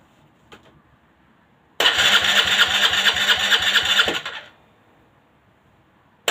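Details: Aprilia Leonardo 125 scooter after a long time without starting: about two seconds of fast even starter whirring with engine chuff, stopping without catching; extended cranking, no start.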